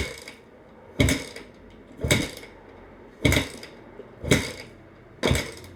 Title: Crf250r wont start!!!?